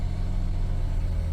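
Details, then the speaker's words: 28-year-old six-cylinder vehicle that sat in a field 5 years, cold morning start after an IAC replacement, no throttle applied: steady, even high idle with a smooth low drone and no knocks as it holds cold fast idle to warm up. "I'm not touching the gas pedal at all, so it's doing that high revving on its own. But it's super cold outside,"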